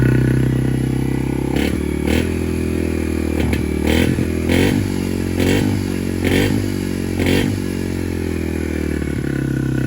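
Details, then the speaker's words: 2019 Yamaha TTR 50, cold engine, choke off: small single idles with a low thrum broken by rough stumbles, then stalls; way too lean, not enough fuel, though it starts and idles on choke and needs 10–15 minutes to warm up. "Yeah, so it'll start, but you can see it quickly stalls out, right? So just way too lean, not enough fuel."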